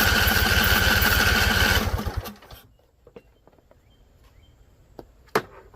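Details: Husqvarna Z254 mower engine, after a PTO clutch install. It catches on carb spray and runs rough at about three firings a second for under two seconds, then sputters and stalls. Owner suspects flooding or a non-venting tank.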